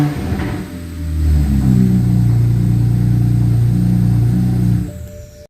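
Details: 2009 BMW 335i after overheating from failed water pump and no crank no start, just after replacing a broken corroded main engine ground strap: engine catches and runs, revs climb and hold smoothly then settle; starts normally.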